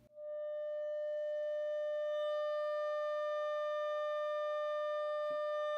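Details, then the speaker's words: Heathkit T4 tube amp being converted to a guitar amp: a steady test tone into the beam power tube turns gritty and buzzy as volume is cranked full, with noticeable sag and distortion at the top; cause not confirmed. "there also is noticeable sad when when you really take it up to the top [Music] and distortion all the weight the end you could see that"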